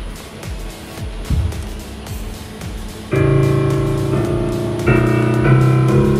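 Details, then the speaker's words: Korg SP-250 digital piano that powered on with no sound from speakers or outputs, after op-amp replacement on main board: faint hiss then clear steady piano notes and chords at full volume; sound output restored. "may tunog na ulit mga [Musika] idol Okay na ulit ang corg SP 250"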